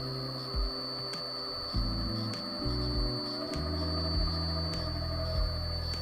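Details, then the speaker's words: Toyota Prius gearbox (MG1) driven as DIY EV motor by Prius inverter with open inverter board, throttle-controlled after pre-charge; steady low hum with stepped tones as speed varies and faint high whine showing inverter started; normal. "now I'm just gonna press the start button you can hear a bit of a whine that means that inverter has started"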